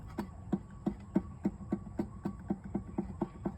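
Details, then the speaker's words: Removed water pump from a 2017 Chrysler Pacifica turned by hand: a faint, slightly uneven knock about three times a second from the worn bearing; it caused a whine that rose with rpm, and coolant crust showed. "You can hear it. There's that little knock in the bearing."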